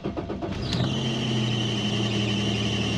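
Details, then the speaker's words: 1999 Toyota Tacoma 3.4L V6: at cold start the starter cranks, the engine catches and a steady high squeal rides over the idle, fades, then returns on restart despite all three belts being replaced; AC idler pulley suspected and replaced. "you hear that squealing and now it uh has gone away going to turn it off and turn it back on you hear it again"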